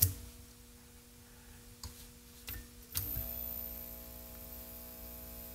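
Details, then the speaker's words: A 1931 battery charger, 93 years old, is run with a bulb in series as load. Its steady mains hum thickens into a rough transformer growl under load, the bulb brightens, and the ammeter reads just under 2.5 A. "Oh, listen to that. It's growling. You see the bulb get brighter?"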